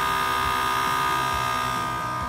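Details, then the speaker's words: Airlift Wireless Air Gen3 on-board compressor just installed on a 2017 Ford Super Duty dually with Load Lifter 7500XL air springs, wired to upfitter switch aux 2: steady electric hum with a clean high buzz, no knocks, filling to 35 psi. Normal operation. "Okay, I don't know if you can hear the compressor. That's about as loud as it is."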